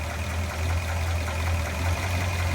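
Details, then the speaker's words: 1967 Chevrolet Biscayne, low-mileage big-block 454 (LS6-style L72 tribute) with 4-speed Muncie and cast-iron long-tube manifolds, just started: steady, lumpy idle with a light, even top-end clatter from the solid lifters; normal. "You want to hear it run? Yeah, sure. We'll fire it up here. Yeah, you can hear the solid lifters in that LS6 454."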